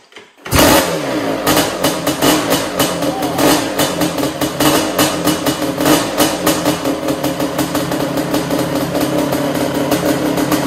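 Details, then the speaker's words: Suzuki Quadzilla LT500R two-stroke ATV, first start-up of project: fires half a second in, then crisp rapid blips with clean revs, no knocks or rattles; running normally. "oh this thing sounds so good holy crap that sounded awesome"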